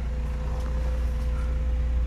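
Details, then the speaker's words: Carbureted GA13 Nissan B13 warming up after its no-start was fixed by rewiring the radiator fans back to the automatic switch: deep, even engine drone holding steady with no misses, knocks or stumbles; idle and RPM described as good. "ganda ng Menor Oh ayos na rin yung RPM"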